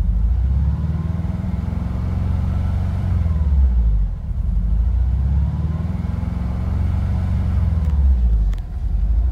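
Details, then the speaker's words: 1986–1991 VW Vanagon with Digifant injection: the idle climbs, holds high, then sags and recovers about every four seconds, a hunting high idle. It is traced to the idle control module behind the right rear taillight, rebuildable by replacing the NT185 transistor. "So here you can see the idle just goes up and it stays high, but you know what? Sometimes it'll even vary."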